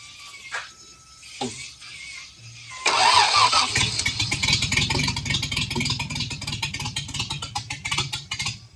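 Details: 1937 Chevy Coupe original Stovebolt 216 inline-six, first start after decades, oil pressure rising: starter cranks, engine catches, runs roughly with uneven beat, then dies; may need choke; stalling after start.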